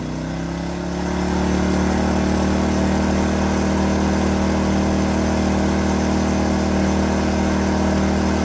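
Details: New Predator 2000 inverter generator: a steady, even hum that settles slightly higher after a second and holds smooth and quiet; normal running.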